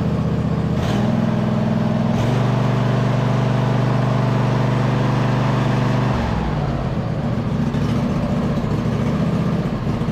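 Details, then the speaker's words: 2007 White Outdoors (MTD) CT 54 zero-turn mower, Briggs twin, run after sitting about 3 years, owner suspects non-ethanol fuel kept it healthy: even, steady putter and low drone, speed eases slightly then holds smooth; normal idle. "they had to have been running some non-ethanol fuel in here for that to be running as good as it is for probably 3 years sit time"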